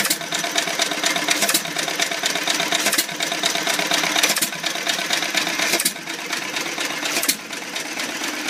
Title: First run after rebuild! Old Iron Creamery power plant